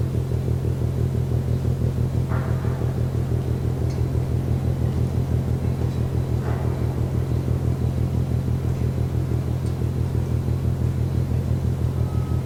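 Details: Container ship MAERSK TAIKUNG moored at Port of Genoa Pra', 1 a.m., recorded from over 1 km away: deep, heavy thuds pounding evenly about twice a second over a low steady rumble; rhythmic banging, source unknown.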